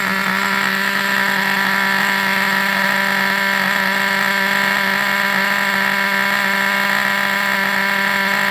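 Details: Vintage Traxxas nitro RC buggy engine on the bench: tiny engine screaming at steady high pitch, constant without surging or cutting out; clean, healthy run.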